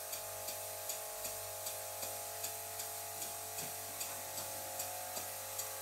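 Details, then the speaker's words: "Silent"-type workshop air compressor running beside a Stuart Victoria miniature steam engine: constant drone with sharp tonal whine over soft engine ticks about 77 a minute; compressor annoyingly loud, most noticeable as the engine slows. "i'm going to leave the stuart victoria running for a while and you'll really start to hear how annoying the sound of this compressor is especially when i slow the engine down"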